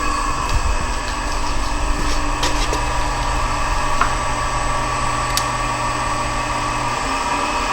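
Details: Monarch Merit lathe motor on its new AC drive (VFD), first run from internal controls, carrier about 8 kHz, run up to 90 Hz (150% of normal). Steady electrical whine over an even motor hum, no knocking or grinding; motor running smoothly at high speed.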